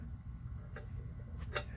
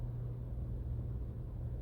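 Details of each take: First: Hunter ceiling fan squeaking for about three years: low hum with sharp light ticks about once a revolution as a fan blade touches a loose wire at the top each time it comes around; owner plans to pull the wire out. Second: Hunter ceiling fan after repair, where fins hitting a wire had caused years of squeaking: only a soft, even low hum with faint handling clicks, no squeak or tick. The fan now spins quietly.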